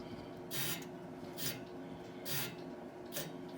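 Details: Howard Miller grandfather clock before servicing, with a damaged escapement gear and running fast: dry rasping scrape in short bursts, about once a second, as the hand is pushed round, suggesting rubbing in the hand train.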